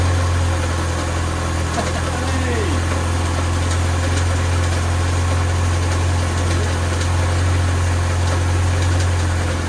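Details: Land Rover Series 2a first start after engine rebuild: steady, even low rumble around three to four beats per second, idling smoothly with no knocks.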